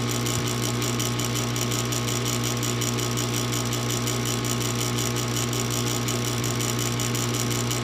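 Fast continuous ratcheting clicks, about three per second, over a steady hum; furnace is clicking but never lights, cause unknown.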